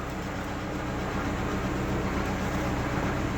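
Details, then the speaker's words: Lada Niva raised on a lift, engine running, clutch released in gear: a steady, rough whirring knock comes from the gearbox. It is absent in neutral. Cause unknown. "Я не знаю, откуда-то из коробки стучит. Так вот все работает нормально, сцепление отпускаешь."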